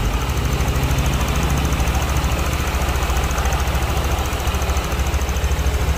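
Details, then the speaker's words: Honda Vario scooter after replacing the cam chain tensioner: steady low idle thrum at an even beat with no chain rattle; quieter, normal idle. "dan ini kita coba dan teman-teman bisa dengarkan untuk ee suaranya ya setelah diganti untuk pensionernya lebih"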